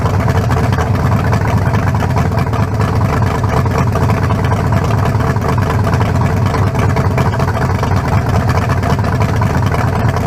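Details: 1974 Nova's new low-compression turbo small block (40-over, 3.48 stroke, forged pistons; replaces a cracked-cylinder-wall 388): deep, even, smooth rumble with no knocks or misses, judged better than the 388. Normal idle.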